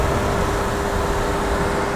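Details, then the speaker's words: Dehumidifier on the bench, reported to make weird noises and not always come on, fan on high speed: steady fixed-pitch buzz over the fan's airflow rush; fan bearing suspected of going, buzzing noise persists. "we've got some kind of buzzing sound if I turn it back on again"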